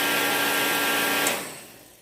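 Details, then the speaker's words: Reddy Heater Pro 150 heater after nozzle cleaning, new fuel lines and blown fuses: the fan whirs with a steady high hum and ticking igniter spark but never lights, then spins down. No fuel is coming out; fuel starvation. "Okay, that spark, no ignition. Not getting fuel."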